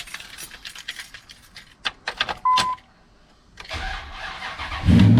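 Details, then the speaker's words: 2003 Ram 1500 with a weak cranking and no-start issue: a few clicks then the starter turns over sluggishly for about a second before the engine catches; slow dragging crank from a weak battery. "you hear the drag start right your head starts dragged out now"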